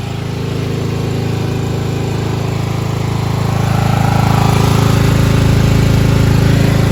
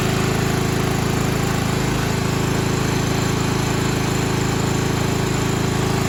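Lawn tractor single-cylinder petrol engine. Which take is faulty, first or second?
second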